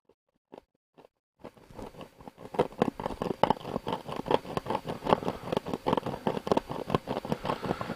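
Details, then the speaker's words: Loudspeaker in an old radio with corroded, rotted board gives a scratchy, crackling rasp pulsing with the audio instead of clean sound; the cone is rubbing the magnet inside. "that's the cone rubbing the magnet inside that's why it's so shockingly bad"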